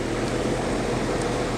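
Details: AC condenser, the other unit running nearby during the fan blade and hub repair for a loud bang at shutoff: steady even hum with smooth fan whoosh, no knocks or rattles; normal running.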